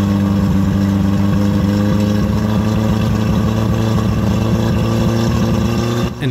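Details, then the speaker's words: Yamaha F50TLRB 50 hp 4-cylinder carbureted four-stroke outboard, warmed up on water, plugs good, air and ignition ruled out: steady drone with an uneven stumble quickening as throttle rises; misfire across RPM range, carburetor fuel problem suspected. "we'll slowly increase the throttle the frequency of the stumble is consistent with the RPM we go higher"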